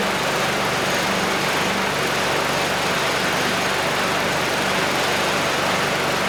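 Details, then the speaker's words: Curbside Craftsman mower 917.376655, Briggs Quantum 122T02 engine, after lowering the lift so fuel reaches the carb. Steady, even buzz with no stumbling or surging. Runs normally. "Beautiful. Okay, good. So the carb is running the engine pretty well."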